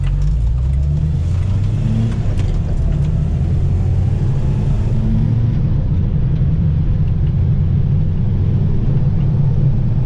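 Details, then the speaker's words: Renault 4L with prepared Cléon 1108 cc engine, rebuilt head, climbing a hill in third gear: deep full exhaust note, revs rising freely, no misfire or knock; engine healthy, revs and pulls far better than before. "elle monte dans les tours incroyablement bien cette côte là je pouvais pas passer la troisième alors maintenant en troisième elle a un peu de mal mais je peux passer la troisième et surtout elle accélère"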